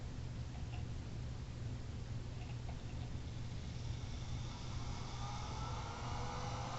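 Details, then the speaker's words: Small blower running on about 4.5 V DC instead of the 18 V DC it needs for full blast: soft low hum with a weak airy rush, underpowered. "It's a nice breeze, but it needs 18 volts DC to get up to full blast."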